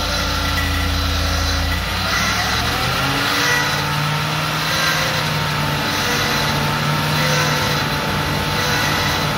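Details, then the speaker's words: Freshly rebuilt Land Rover Discovery 2 Rover 4.0L V8, first start: engine fires and revs with a loud droning whine over the running; from the cleaned, regasketed power steering pump, which had been empty of fluid, air in the system. "there was a horrendous sign you i'm sure you heard it and you could see me looking down in that direction that was the power steering pump"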